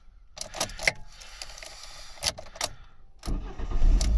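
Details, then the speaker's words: 2012 Ford KA / Fiat 500 starting on the original remote key after key programming with a Lonsdor K518: key clicks and rattles, a brief crank, then a clean catch into a steady run. Normal engine start. "there we go. There's 1 key starting. The original remote key starts it."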